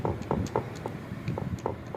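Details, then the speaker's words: Honda CD 70 motorcycle engine, opened, with the connecting rod struck by hand to check the crank: crisp light metallic clacks each time it is pushed down, showing free play at the big end; the big-end bearing is worn. "अगर ये आवाज आए तो इसका big जो है वो खत्म होता है ये आप आवाज भी सुन सकते हो"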